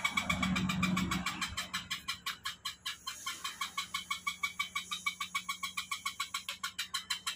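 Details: Electric bicycle hub-motor wheel spinning on the stand with throttle: steady clicking about three times a second; wheel noisy and wobbling, cause inside the hub not yet found.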